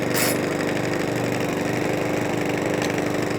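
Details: Mountfield 164 self-propelled mower (same as 414) after carburettor fuel-leak repair, on fresh fuel: steady, even putter with a constant low hum and no hunting or surging; normal smooth idle.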